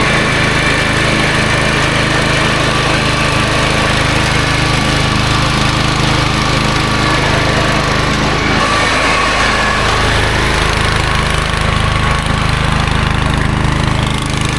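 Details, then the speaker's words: Toro GroundsMaster 52 with a swapped-in used Briggs & Stratton 16hp cast-iron single replacing a blown engine, cutting grass: steady, even drone with only a brief dip mid-pass; running normally under load. "Looks like it runs, looks like it cuts, looks like we're back in business with the old Toro GroundsMaster 52."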